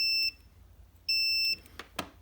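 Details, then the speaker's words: Vintage Mopar semi-automatic transmission rotary governor switch, continuity tester from housing to wire terminal: two clean, steady high beeps of about half a second over silence; continuity is present, so the switch is closed at rest, sending voltage to the solenoid coil until a certain speed. "So this switch inside of here is always closed, meaning voltage is allowed to go from here and it goes to this coil."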